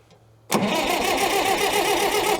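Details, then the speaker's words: Caterpillar 922B loader diesel that sat over a year, cranking on better batteries after a weak jump pack: starter spins the engine briskly and evenly for about two seconds with a strong, steady whir; cranking healthy. "much better much better so before we run down our batteries Let's uh go ahead and just start checking our fuel system here"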